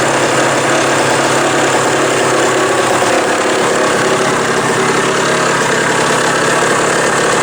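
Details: Old Suzuki small two-stroke bike after a new throttle and throttle cable were fitted: a busy, even buzz held at a steady speed with no sputter or dropouts; normal running.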